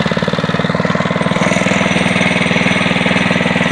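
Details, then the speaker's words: SSR pit bike, first cold start on choke after carburetor cleaning including float and a new air filter: fires on one pull and settles into a crisp, even single-cylinder putter at about thirteen beats a second with no misses. Normal idle. "one pull there it is there she goes and cold start two PS baby running nice and clean oh"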